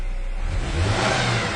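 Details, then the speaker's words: 1997 Ford Ranger with low fuel pressure below 35–40 psi spec, low power on test drive: engine note rises under throttle but sounds ragged and uneven, stumbling terribly instead of pulling cleanly; throttle stumble. "When I hit the gas pedal right now, the truck stumbles terribly. So that explains why I had the low power on the test drive initially."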